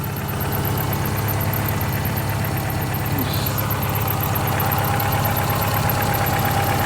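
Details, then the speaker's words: 2000 Subaru Forester S Limited on a cold start: a faint, thin squeak from the auxiliary belts, expected to go away once warmer. "As you can hear, there's a little bit of a squeak coming from the auxiliary belts, but that should go away when the car's a little bit warmer."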